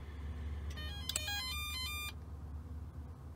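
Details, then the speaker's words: Power-Pole shallow-water anchor motor unit reassembled after not going down: at switch-on a short rising run of electronic notes plays with a green light; normal power-on startup tune. "next you want to turn the unit on and uh see if you got a green light you also want to hear the music"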